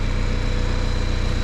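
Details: Homemade aluminum tracked snowcat with 1.9L ALH turbo diesel and hydrostatic drive on first shakedown, oil about 60 degrees, oil pressure low, major oil leak; steady, even low diesel drone with no knocks or misses, running healthy.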